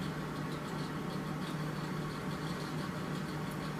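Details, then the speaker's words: Mercury Optimax outboard fuel pump bench-tested out of the boat during no-start diagnosis, after freeing it up by banging: steady low electric hum with even buzz, no stumbling. Normal fuel pump operation. "It's working. I guess getting it out and banging it around a little bit freed it up because it didn't work, and then all of a sudden it broke free."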